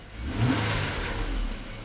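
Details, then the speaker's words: 2010 Nissan Maxima that intermittently stalls and blows a fuse, revved in the lot while current is scoped: revs rise briefly as current spikes appear, then the note sags and dies; the engine stalls. "seen some spikes there Oh engine stalled out"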